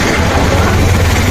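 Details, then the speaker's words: Yamaha R15 V3 motorcycle just started: loud rough uneven single-cylinder idle with busy top-end clatter, mechanic calls the sound very bad; top-end clatter suggests loose valve clearance. "আশা করি বুঝতেই পারছেন কী সাউন্ড। দেখেন কীরকম সাউন্ডের কোয়ালিটিটা দেখেন কী অবস্থা। আমার তো মনে হয় অনেক বাজে অবস্থা, বাট তারপরে খোলার পরে দেখি।"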